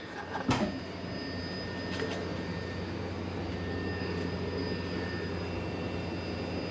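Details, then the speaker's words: Mazda RX-7 FC3S fuel pump jumpered on via the fuse, with fuel circulating and no leaks; the fuel filter gauge reads clogged. Steady, even electric hum with a low drone and faint high whine; normal fuel pump running. "no leaks there let's see what the fuel filter thinks so the fuel is just circulating right now"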